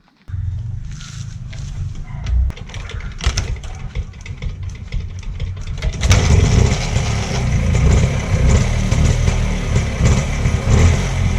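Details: Rajdoot 175 two-stroke motorcycle cold-started before restoration: a few rough sputters, then catches at six seconds and settles into a loud, uneven but sustained two-stroke run; engine starts and runs.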